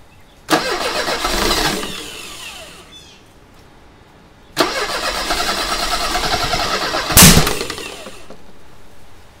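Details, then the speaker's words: 1985 Mercedes 190E with KE-Jetronic after airflow adjustment; the air flow cap had been tampered with. Two long spells of cranking without firing, the second ending in a sharp pop like the one before an earlier fire. "all right that's not what we want to hear that is not something that we want to hear because that's how the fire started last time"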